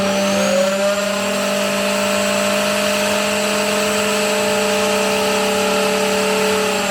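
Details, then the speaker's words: New router on its highest speed setting after cutting thick wood: steady high whine with several sharp tones humming over the motor, a noise it did not make at first; abnormal running noise from a loose collet. "Uh-oh. She wasn't making noise like this at first."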